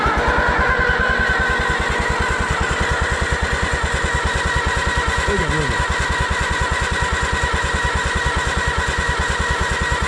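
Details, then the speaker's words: Allis-Chalmers WD tractor, not run in 25 years, after rebuild and Marvel-Schebler carburetor work: even starter chugging about 2.5 beats a second with spark at the magneto but no firing; suspected fuel starvation, fuel supply looking plugged. "It'd be enough to light if you had fuel. I'm wondering if we just ain't getting gas then. At least enough gas."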